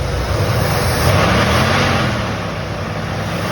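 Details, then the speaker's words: Chevrolet Silverado squarebody V8 on its carburetor, before the Holley Sniper EFI install, no throttle linkage hooked up; strong steady rumble swelling with throttle, secondaries opening, no miss or knock: normal running. "so yeah pretty cool so I'm happy about that"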